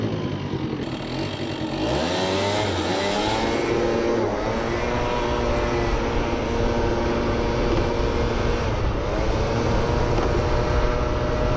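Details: Research scooter with machined front variator pulley, 3.4 g rollers and carburettor needle raised one notch; revs climb quickly off the line then stutter and break up under load; misfire under acceleration.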